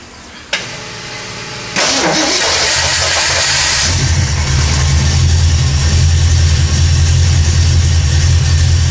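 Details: 1979 AMC Spirit AMX, carbureted AMC 304 V8 rebuilt about 20,000 miles ago, after a Carb Cheater install and reconnecting the ignition coil wires: cranks, catches and settles into a steady low, even idle rumble with no misses or knocks. Normal idle.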